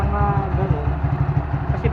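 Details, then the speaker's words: Motorcycle after fitting a CNC primary clutch set, exhaust refitted and oil returned: steady, even low idle thump about eight beats a second; earlier slapping from the clutch side, blamed on a loose part, is gone. Normal idle. "Ayan, tahimik na nung makina oh. Wala na yung lumalagapak dito."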